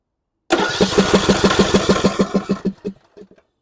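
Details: John Deere E100 riding mower that died while driving with a puff of smoke: steady starter cranking that never catches; fuel reaches the bowl but a stuck fuel shutoff solenoid isn't retracting, keeping fuel from the jet.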